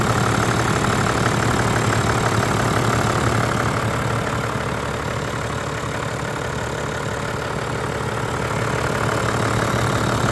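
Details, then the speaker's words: Toyota Land Cruiser 100 Series with 1HD-FTE turbo diesel, first start after blind purchase: even diesel idle clatter about two and a half beats a second, smooth, no misses or knocks, no smoke, purring; normal idle. "No smoke at all. You can hear it purring. Perfect."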